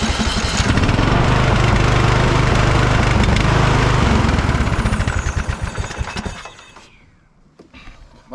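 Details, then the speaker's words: Free riding mower that sat about a year with an electrical no-start; with the kill switch wire unplugged, the single-cylinder engine catches, chugs at a quick steady beat for several seconds, then cuts out; it runs normally. "nice looks like we'll be mowing in no time"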